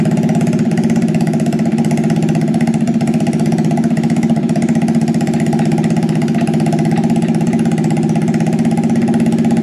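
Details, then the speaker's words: Scratch-built full-suspension mini bike, first start after sitting about 7 months since its last race, carburetor leaking fuel with float issues: quick, even put-put about four beats a second, not harsh or too loud; normal idle. "so that's fine it runs it sounds good it's not too loud"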